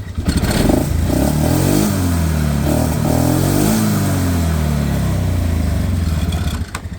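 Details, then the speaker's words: 2001 Polaris Sportsman 500HO with a bad misfire, running with the CDI black kill wire disconnected: single-cylinder thump revs up and back down with even firing and no stumble, running normally, though it runs badly when that wire is connected. "So, that works fine."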